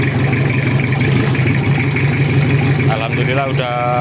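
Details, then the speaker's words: Toyota Kijang diesel after engine work on a cracked block with a weld-blocked oil passage: steady even clatter right after starting, no knocks or misses, smooth idle; oil pressure 4 bar and circulating, left to warm up. "Lur langsung hidup kita lihat tekanan oli dulu ada di angka 4 bar dan olinya sudah sirkulasi"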